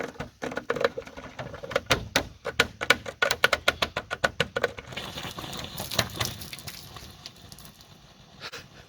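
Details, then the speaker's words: 2002 Toyota 4Runner after coolant leak repair, engine hot and running: quick uneven sharp slaps and clicks fading to sparse ticks; suspected plastic piece in cooling system, later believed air bubbles, noise gone after 2.5-hour drive. "So maybe my ears tricked me and it wasn't plastic in there and it was just crazy air bubbles going nuts, slapping around like that."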